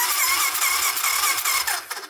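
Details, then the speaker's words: 1985 Honda ATC250SX three-wheeler on electric start, cranking with even low chuffs about five a second, compression felt at the plug hole, but never firing; crank no start, no spark at plug. "feel it pump over here all right so no spark yet"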